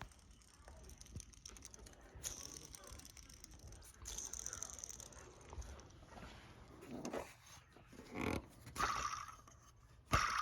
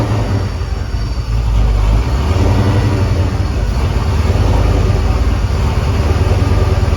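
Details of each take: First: Hand-spun inner idler pulley on a 2001 Mustang Bullitt with Tork Tech supercharger kit, removed without taking off the pulley bridge; bad bearing gives a gritty, rasping whir instead of spinning quietly. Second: 2001 Mustang Bullitt with supercharger after replacing grooved aftermarket idler pulleys that could let the belt slip: strong steady engine rumble, smooth even pulling, no knocks, squeals or chirps; running healthy.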